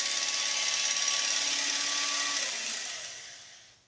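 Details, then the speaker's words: Early-1950s Sunbeam model A-1-A electric hedge trimmer, about 70 years old, after full rebuild (gears serviced, cleaned, polished, new power cord): high, even buzz with clean steady tone, then smooth coast-down when switched off; running normally. "And well, what do you say we plug it in and give it one last test drive? That sounds absolutely fantastic."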